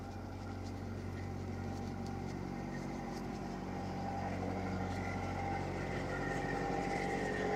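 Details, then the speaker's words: Boat diesel engine that sat 6 months and started without glow plugs, run in forward gear while tied to the dock, prop loading it: steady thrum rising slightly as the throttle opens, even rhythm, no knocks, no smoke. Normal running under load. "So I have it in forward, and it sounds good. And no smoke, which is really nice."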